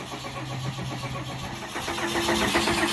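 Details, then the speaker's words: 1993 Fleetwood Bounder diesel pusher, sat two years, new battery, fresh diesel, fuel system just primed after fuel-line work: cranks then catches with uneven clatter settling into rough but running idle. "Oh, it's trying. Yay, it is working."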